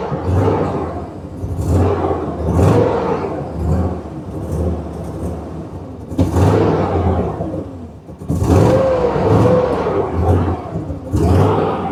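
Engine speed surges up and sags back every second or two instead of settling, a rough, restless idle that keeps hunting. Cause suspected, not confirmed.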